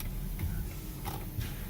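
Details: Inside the cabin after clock spring replacement: soft regular blinker ticks at a normal steady pace under quiet cabin hum; turn signal works and cancels properly.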